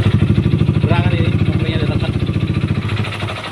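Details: Honda CBR150R/CB150R single-cylinder with TDR racing exhaust: idle with an uneven clattery knock each beat from the right-side clutch block area, loudest at low revs; worn clutch basket damper rubbers.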